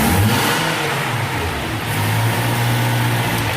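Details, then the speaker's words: 2005 Toyota Tacoma 2.7 4-cylinder after the catalytic converter fix (rattle, no power, P0420): engine revs up smoothly and steadily with no choking, and a back-pressure gauge shows no pressure build-up. Normal revving. "Pressure gauge right there. We got no pressure build up."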